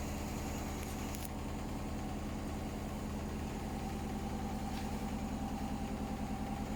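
Rhythmic thumping at about three beats per second over a steady motor hum during spin; the drum load is badly out of balance.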